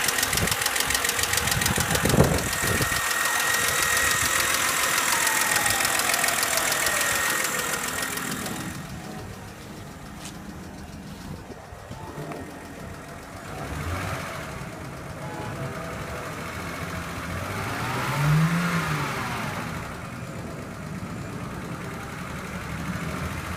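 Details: 2008 BMW 528xi, 117k miles: loud, sharp, fast ticking over the running petrol engine that quickens as rpm rises, cause unknown; engine ticking that rises with rpm.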